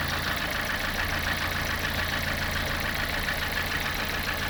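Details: Lada 21126 engine at steady idle with a light, fairly regular extraneous tapping, about three or four knocks a second, over the engine hum; unexplained engine knock.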